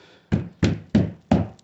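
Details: Pre-facelift Skoda Octavia A5, exhaust shaken under the rear bumper after the mount studs were refitted to cure a rattle: five solid single thuds dying out cleanly, no rattle after; mount now holds tight.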